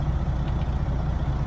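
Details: Semi truck that leaked air when brakes were applied, after repair, diesel idling while brakes are pressed: steady low idle with no hiss of escaping air, circuit holding pressure; normal air brake application, no leak.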